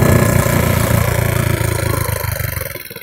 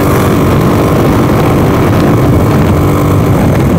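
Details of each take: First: 150cc GY6 scooter during a failed wheelie attempt: single-cylinder putter sags and slows over a few seconds as revs fall; the idle drops, cause unclear. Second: 150cc GY6 scooter, a daily driver for two weeks, accelerating at full throttle on the road with a new mic setup: strong, even engine drone under heavy wind rush, pulling cleanly; normal full-throttle running.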